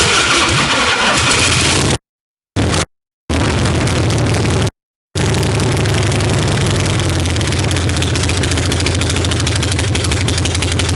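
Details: 1965 Harley-Davidson Panhead V-twin after new cam, lifters, pushrods, carb work, coil and ignition timing set: cranks, catches, settles into even loping potato-potato idle, no knocks; front cylinder hitting less hard than rear; voltage erratic; normal idle.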